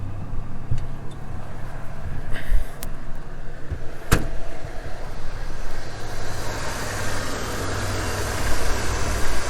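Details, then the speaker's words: 27-year-old OBS Ford truck, 4.9L inline six, 177,000 miles, at idle after start-up: low steady even rumble with no knocks, misses or ticks; normal idle. "But let me start it up. You guys can hear how it sounds. And the radio works. Runs fantastic. 177,000 miles."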